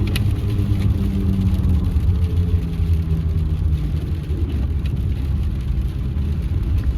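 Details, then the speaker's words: 2016 Ford F150, 2.7L twin-turbo V6, 4WD, driving on the road after a rear-end bearing rebuild: steady low whine under road rumble that rises and falls with speed and can be felt in the gas pedal. Caused by failing front 4WD hub actuators, earlier misdiagnosed as wheel bearings. "It kind of sounds like a gear whine, or maybe a little bit like a mud tire whine, but it definitely is not. It's not mud tires, because you can actually feel it in the gas pedal and everything."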